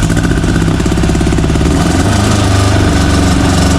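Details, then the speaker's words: VW air-cooled engine in a Baja buggy, claimed 130 hp naturally aspirated, timing about 28°: loud, deep, steady beat pulling cleanly when blipped; normal healthy running. "what's that sound like that sounds like 130 horse baby VW power naturally aspirated"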